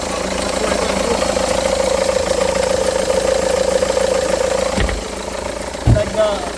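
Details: 2009 SEAT Leon at idle, noise from the pulley area, oil leak noted, crank pulley looking new: steady idle with a mid-pitched whirr and an uneven knock about three times a second; wobbling AC compressor pulley, loose on its shaft.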